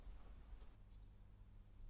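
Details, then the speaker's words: WEM Clubman single-ended valve guitar amp with one ECL82, old and due for a recap: quiet constant low mains hum with higher overtones, no rhythm. Tired electrolytic filter capacitors letting hum through. "you can hear the the home coming up just so the old electrolytics are a bit tired and not surprising given its age"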